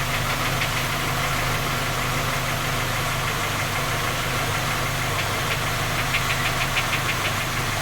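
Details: Skoda Octavia A5 facelift 1.6 MPI, cold idle: steady, sharp metallic knocking about three per second over the running noise. Three engine repairs failed to find the fault; knock persists, cause undetermined.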